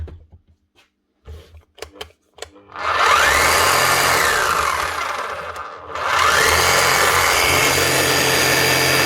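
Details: Bosch GBH 8-45 D rotary hammer after cheap repair of failed needle bearing and fan: motor spins up to a harsh, rattly high whine, stops and restarts; noisy from worn gears and worn motor but running.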